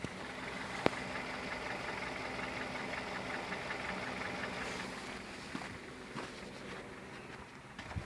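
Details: Kia Rio 2015 engine running with a faint, irregular knock mixed into the general mechanical noise; the source of the knock is not clear.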